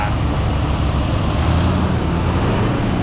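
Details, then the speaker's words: 1966 Ford Thunderbird 390 big-block V8 with flat-tappet cam and true dual exhaust, just revived, idling after throttle blips; deep steady rumble, even firing, no smoke, ticks, knocks or rattles; running rich; normal idle. "yeah look at this it ain't even smoking they ain't even smoking no noises no rattles"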